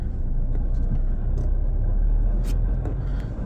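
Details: Ford Fiesta on a test drive: heavy low road rumble with loose metallic rattles breaking through now and then; a loose exhaust bracket letting the pipe knock. Exhaust bracket rattle.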